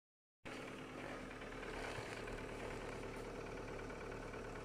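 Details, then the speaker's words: 2020 Datsun on-DO at cold idle in −15°C frost: steady idle with a faint, uneven light tapping like a diesel. The title attributes it to hydraulic lifter knock; the cause is unconfirmed. "Мороз минус 15 градусов. Идет какое-то стучание непонятное."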